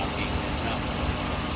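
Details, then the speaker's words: 1959 Cadillac DeVille 6329 V8 after engine flush and AMSOIL 0W-20 oil change, previously knocking from lifters after running low on oil: steady, even idle with a smooth low rumble and no tapping or knocking. "and so that's what a normal motor gm owner sounds like it's not knocking"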